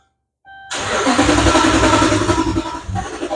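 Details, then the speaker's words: 2011 Dodge Ram cranks steadily, about four compression beats a second, but never starts; loaded circuit testing found the ground fine, and a fuel problem is suspected. "the vehicle will crank but will not start as I think as a fuel"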